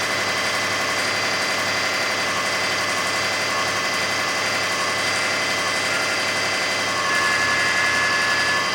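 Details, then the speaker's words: 2005 Kia Sedona 3.5L at 116,000, after new timing belt, tensioners, idler, water pump and balancer, no accessory belts: quiet at startup, then a loud hissy whirring rattle at warm high idle, gone when revved but returning; source unknown. "There's the noise. It'll get louder. There it is. There you have it. So it goes away when you bring the RPMs up, but then it comes right back."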